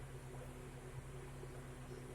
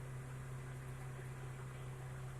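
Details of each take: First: Car AC blowing only air, gauge needle static instead of 30-40 psi: steady low fan hum under engine drone, no compressor clutch kick or load; compressor not engaging. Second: Car AC restarted, manifold gauge about 30 psi: steady low drone with even blower rush, no cycling, squeal or rattle; compressor and AC running normally.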